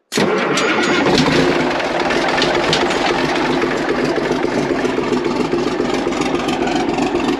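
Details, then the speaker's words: Large excavator abandoned for years, started by jumping starter with a screwdriver: catches quickly, diesel settles into loud, steady clattering idle with no misses; running. "that's pretty impressive right there well it took three people to get it started can you believe that"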